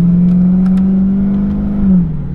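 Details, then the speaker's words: Dodge Hellcat driving; fine on throttle, but steady low drone sags and falls in pitch with horrible noise on lift-off; owner suspects transmission or torque converter failure; whine on throttle lift-off. "it's fine on the gas it's fine as soon as I let off though listen can you hear it oh my God that sounds horrible what's going on over here"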